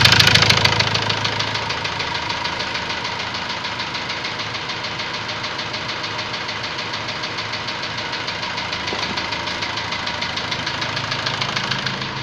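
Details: Ford Transit diesel at idle: a sharp, regular knock about three times a second. A warning light then lit and revs stopped rising; scan codes showed high-pressure calibration data, cylinder balance and a leaking injector. Source unconfirmed.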